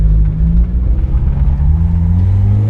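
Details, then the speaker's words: Mazda Miata accelerating after new NGK spark plugs and plug wires, previously hesitating under throttle; deep rumble climbs smoothly with no stumble or dropout, hesitation gone, though a new tick was heard at idle. "Oh my god, guys! It's gone! It runs perfect! Wow, something that basic. I can't believe it."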